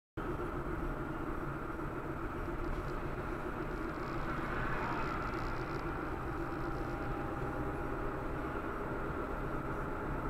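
Steady low drone from the road while driving slowly, with a faint mid-pitched hum over the tyre roar. Cause suspected, not confirmed.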